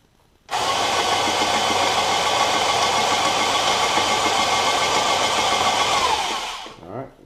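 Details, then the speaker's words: Graco 390 paint sprayer motor after brush replacement and thermistor refit, test run with pressure turned down then up: quick spin-up to a steady high whir, no grinding, scraping or smoking; motor healthy. "smoking, no grinding, none of that, so apparently everything's good to go."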